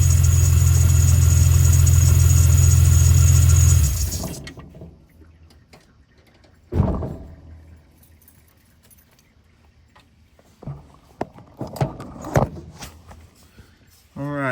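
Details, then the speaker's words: 2000 Jeep Cherokee XJ 4.0 after mechanical fan clutch removal for undercooling in winter: steady, even low hum about four seconds with no knock, tick or squeal, then shut off; normal idle. "So, as you can see, the whole fan clutch is gone. It's um spinning like it's supposed to."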